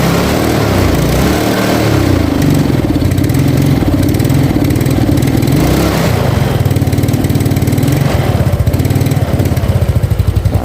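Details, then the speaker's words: Carbureted Yamaha Mio Sporty with a new spark plug: it idles with a steady, lumpy beat but stumbles and won't take throttle, dying if forced. The carburetor slide needle had come detached. "Nah seperti ini suaranya. Nggak mau digas ya."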